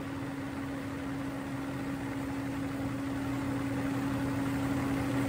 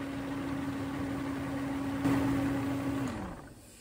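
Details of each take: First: Mercedes W140 V12 M120 started with the air filters removed, intake open: steady, even engine drone with a faint fine airy hiss from the intake suction, then shutdown. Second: Mercedes W140 V12 M120 right after new air filters are fitted, start test: a smooth, even idle with a steady mid-pitched tone that holds, then winds down as the engine shuts off; sounds healthy.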